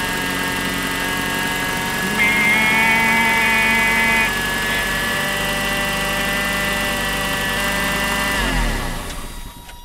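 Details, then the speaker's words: 1988 Toyota 4x4 van, about 30 years old, idling: thin, steady high whine over the idle that dies at shutoff; suspected bearing in power steering pump, water pump or alternator; belt removal found a rattle in the water pump. "there's a question as to whether or not that sound is coming from the power steering pump or the water pump or the alternator maybe a bearing is going bad I'm not sure"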